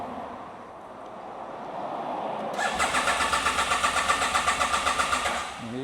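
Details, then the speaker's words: Motorcycle on a Paraguay–Argentina trip, fuel and oil present and headlight on with no dash message: starter grinds in steady pulses about four a second for nearly three seconds and never fires. Cranks but won't start; rider suspects the fuel pump. "यहाँ से निकलने के लिए सब कुछ तैयार है। Motorcycle start नहीं हुई।"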